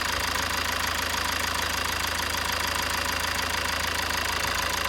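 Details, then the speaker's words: 2007 Toyota Avensis D4D diesel with clogged EGR, during diagnostic EGR valve actuation test: steady, even diesel clatter at idle with no misses or knocks; engine note changes and mass airflow drops as expected, all good. "hear the engine note change and our mass airflow drops so i think that's all good"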